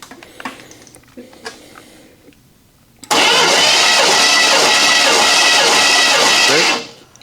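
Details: 1983 Chevy K10 engine unrun for over 20 years, compression test: steady fast cranking with even chug of compression strokes, no catches or slowing; cylinder reads about 150 psi, healthy.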